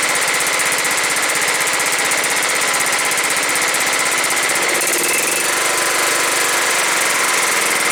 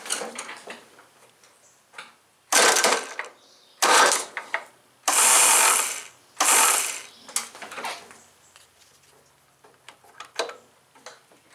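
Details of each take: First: John Deere STX38 lawn tractor, Kohler Command 13 hp single-cylinder engine, 38-inch deck, fixed after a no-run: on first start after reassembly it runs steadily, then settles into an even, smooth idle with no stumbling; normal idle. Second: John Deere STX38, Kohler Command 13 hp engine: short one-second bursts of free high-pitched whirring with no cranking thump; starter drive not engaging flywheel; owner says the spring popped loose again, suspects a clip came loose.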